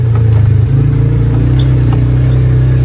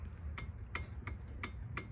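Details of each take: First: Polaris Ranger 570 single-cylinder after a cylinder head replacement, which fixed a ticking caused by a weak valve spring. It idles, then revs up smooth and even with no tick or backfire, and feels stronger. Normal running after the repair. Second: Polaris Ranger 570 cylinder head removed and inspected on the bench: five sharp metallic ticks as the valve is worked by hand; the strange engine ticking is traced to a weak, not broken, valve spring.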